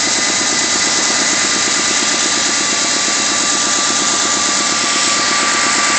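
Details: Mustang 3.2 L V6 just out of the shop with new heads, at idle: loud busy clatter with an uneven deep knock about three per second; owner suspects a spun bearing, unconfirmed.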